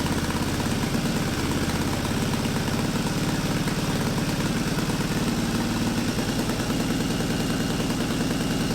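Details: Yamaha Virago 920 V-twin at first start on a new Mikuni VM30 carb with the stock 250 main jet and a 2-into-1 intake manifold: a steady, even, low lumpy beat with no knocks or misses. It runs cleanly. Normal running.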